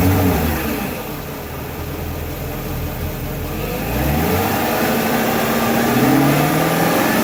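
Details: BMW E39 540i with M62TU B44 V8 idling and revving; a thin squeal climbs and falls with engine speed. Belt or pulley squeal.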